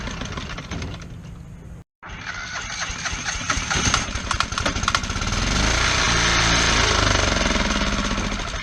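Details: Kohler 725cc V-twin Pro Drive surface-drive mud motor with a thrown cylinder 1 connecting rod (2012) and a makeshift filed non-steel key. Harsh, uneven popping beats at about four per second build as it revs: it runs on one cylinder.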